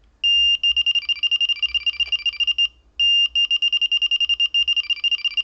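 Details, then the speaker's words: Delkim bite alarm, sensitivity around 6 o'clock, NiteLite indicator, 12–15 lb abrasive twisted line, no weight: high steady tone breaks into fast pulsing warble twice; small liners or knocks distinguished from warble on a real run. "But you can tell now that that is a little liner or a little knock, and now it's hitting the warble when it's go time, and that is the big difference."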